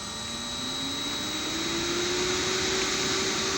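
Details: Motor on Powerflex 525 VFD with DC injection braking set (P045, A434, A435): smooth hum with clean tone rising steadily during ramp up; even, healthy acceleration.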